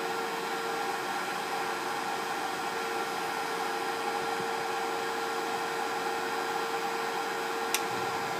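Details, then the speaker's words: Pinzgauer 710K Eberspächer B4L/BN4 gasoline heater bench test before restoration, restarting around 39°C toward about 60°C setpoint: steady airy blower rush with constant low flame hum, no rattles or surging; normal heater operation. "it probably sprays it there and we can hear this the the humming of the the the the the flame now the temperature is climbing"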